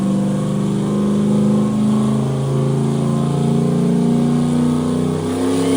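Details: Turbo Corvette "Ruby" on Ignite E90 moonshine ethanol, run number 2, 30% more fuel, no timing added: strong even roar holding steady pitch through the full-throttle pull, no misses, knocks or stumbles; normal full-throttle run, running clean.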